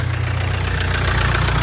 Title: Jaguar Land Rover Ingenieum Excessive Blowby Rod Knock #jlr #blownengine #spunbearing #ingenieum